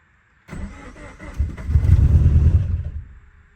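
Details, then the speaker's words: 2013 Scion FR-S (BRZ/86) engine after a home rebuild following engine failure, first start after fuel pump priming: short crank, then it catches cleanly, flares up in revs and settles; a healthy start with no knocking or ticking. "It's alive."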